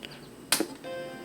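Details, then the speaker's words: Macintosh SE/30 first power-on after being plugged in: sharp switch click, then a clean steady startup chime and the hard drive spins up; normal startup chime. "Ooh, got a startup chime. Hard drive spins up."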